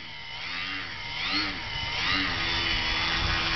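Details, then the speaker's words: Electric RC plane in hover: the high motor whine wavers as the throttle chases the hover while the plane slides backward, needing more up elevator. The owner suspects the battery sits too far forward and plans to move it back about an inch. "Hear the noise? That means she's backing down. I need more up elevator."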